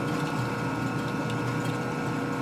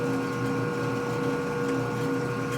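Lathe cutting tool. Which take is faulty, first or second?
first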